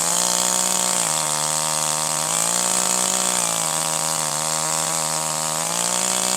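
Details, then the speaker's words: Older piston-ported chainsaw at wide-open throttle, high-speed screw still slightly rich, before a final quarter turn in to 1.25: unloaded it shows slight hesitation, warbles and pitch dips, smoothing out once loaded in the cut; four-stroking from a rich high-speed mixture. "In this case, when the saw is running wide open with no load, you hear a slight hesitation. When the saw is put down into the cut and a little bit of down pressure is applied so that the saw is loaded, the sound smooths out and you hear more of a sound."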